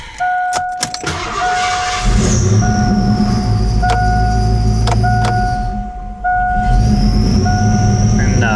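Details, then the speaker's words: 1988 Ford Mustang GT Fox Body with fire-damaged, melted wiring: low, uneven idle that sags and wavers once the headlights load it, chimes over the top; runs badly, owner wonders if it is charging, cause unconfirmed. "Headlights come on. Runs like crap. Same thing. We're running into the same problem."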